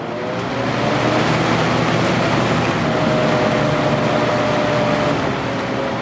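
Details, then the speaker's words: Vintage 1983–84 Lasko box fan with a plastic Marco motor, previously repaired with adhesive, running on medium: a steady low motor hum under the airflow at constant pitch, most pronounced on medium and low. "I think the hum is most pronounced on medium speed and low"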